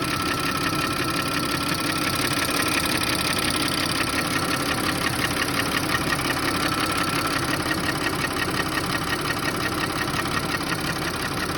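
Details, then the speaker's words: Audi A6 C6 2.8 FSI V6, knock began a month after oil change, cold and hot, at low revs, fading with slight throttle, check engine light on: steady tapping about two per second over rough idle; cause unknown. "Когда запускаешь двигатель, смотрите, какой звук. Стук. Где-то вот отсюда."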